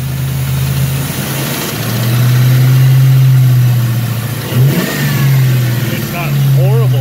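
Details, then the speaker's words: Warm Mustang V8, turbo-planned, with new plugs and thicker Castrol GTX oil that helped little; at idle and on blips a harsh tick from the valley follows the revs and develops when warm; wrist pin or rod bearing play suspected. "it definitely have a pretty harsh tick and if you kind of hear coming from the valley section I believe not really one side of the other so I think it's got a slight slap coming from like a wrist pin"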